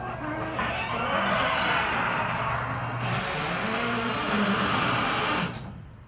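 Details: Genie garage door opener recorded up close, squeakier and louder than earlier recordings: loud wavering squeals over the opener motor's drone throughout travel, then stops; very squeaky, noisy door.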